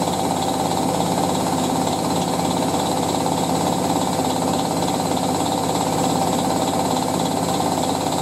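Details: Hotpoint 9530W Electronic 1000 Plus washing machine spinning a towel load: heavy rapid knocking, about three to four thuds a second, from worn shock absorbers letting the drum slam; shocks to be replaced.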